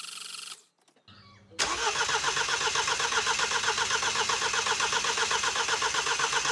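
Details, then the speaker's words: 2013 Mini D with N47 diesel, reinstalled after timing chain replacement: brief crank, starts with an uneven rapid clatter, then cuts out; sounds like it has no compression. "right well I don't know whether you heard that it started up and then cut out which doesn't surprise me but what does surprise me now is it sounds like it's got no compression which is not good"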